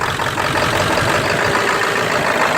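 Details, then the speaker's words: 1999 Ford F250 7.3 diesel with rough idle: with the valve held open the idle is a fairly even steady clatter with no shaking; closing it brings the shaking back, cause unknown. "99 F250 with a 7.3 engine. I got a problem. This thing is running rough,"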